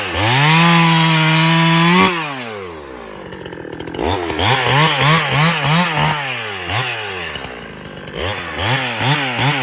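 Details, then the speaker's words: Farmertec Husky 372XP clone chainsaw with new ported cylinder, idle slightly clean, cutting firewood possibly ash: screaming revs drop and bog in repeated cuts, recovering cleanly each time; healthy saw pulling hard. "some of that might be Ash judging by the bark but this thing just destroys wood"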